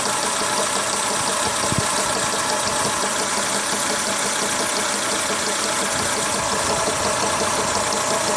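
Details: Renault Logan engine at idle: an uneven light knock under heavy hiss, not linked to engine speed, from the timing belt slapping; the belt was found defective and had to be replaced.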